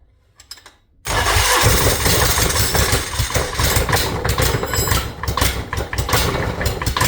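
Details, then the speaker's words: Yanmar diesel: catches and clatters unevenly, beat wandering rather than settling to steady idle; owner suspects it was running out of fuel, having run well the day before, not confirmed. "It kind of almost sounds like it was running out of fuel."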